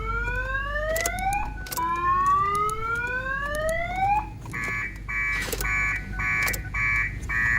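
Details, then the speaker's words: 2007 Ford Focus towed in with a no-start, alarm triggered on battery jump: rising siren whoops, then a choppy pulsed electronic tone over a quiet cabin; the faulty aftermarket alarm won't stop and prevents starting, and the fix is to disconnect it. "So what you need to do, or what happened, is this car have aftermarket alarm in it. That the one that's preventing the car from starting."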